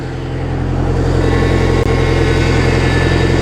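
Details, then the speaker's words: Boat inboard engine warmed past 160 degrees with the thermostat open during winterizing, steering worked back and forth: faint, thin whine over steady running from a power steering pump with a suspected fluid leak. Power steering pump whine. "I can hear the pump whining a little bit."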